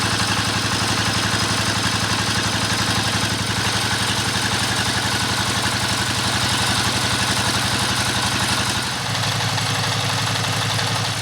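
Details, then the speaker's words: Single-cylinder S1115 diesel (Dompeng) that leaked oil from the exhaust, after repair and carbon cleaning, about 5 minutes into a test run: steady even chug around four beats a second, no knock or misfire, no smoke yet; normal idle. "Oke sobat diesel sudah hampir 5 menitan kita tes mesin diesel ini ya ternyata juga belum ada asapnya nih"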